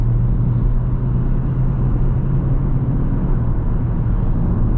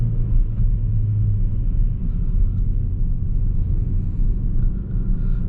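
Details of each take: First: Ford Focus after an error code was cleared, accelerating toward the motorway: a steady road rumble builds evenly with no clunks, slip or flare; the gear change is smooth, the power is enough and there are no error messages. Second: Ford Focus returned by a buyer, on a test drive: the automatic gearbox won't upshift and seems stuck in second, holding a heavy, droning high-rev roar; a timing-chain-like noise and vibration were noted beforehand.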